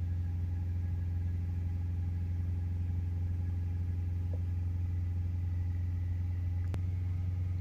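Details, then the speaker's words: Ford Ranger 2.0 BiTurbo diesel, hot after test drive following DPF cleaning, held at 3,000 rpm; DPF pressure reads around 80 there. Steady, smooth deep drone with no knocks or misses; normal high idle. "so now we'll hold it up on 3,000 [Music] RPM getting around about 80"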